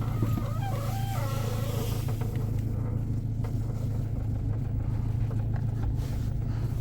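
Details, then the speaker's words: Car at idle while steering is turned left and right: wavering rubber-on-metal creak from the left, heard in the cabin; suspected worn strut mount bearing, cause not confirmed. "выкручивая руль в одну сторону и выкручивая руль сейчас в другую сторону вот слышен такой характерный звук Как из-под с такой скрип от резины резина по металлу при при выкручивании руля Значит сразу скажу это проблемы с опорными подшип"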